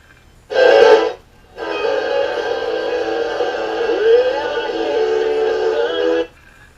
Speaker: that sounds pretty clear. Let's look at the wiper that feeds the 6Q7.